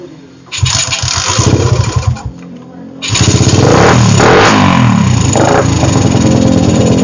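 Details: Suzuki Satria FU with PE carburetor, formerly hard to start especially cold and stumbling, after a larger pilot jet and new carb rebuild kit: catches fast, stumbles once, restarts and holds a crisp even rev.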